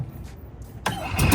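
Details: Gas Club Car Precedent golf cart with FE350 engine: quiet cranking, then engine catches at about 0.85 seconds and settles into a steady running note; starts fine.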